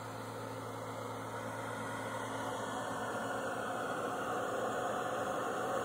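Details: $5 hair dryer running inside a cardboard box, thermal switch cycling heat off and on, box temperature dropping from about 200 to 155 degrees: soft steady air rush over even low electrical hum; normal running.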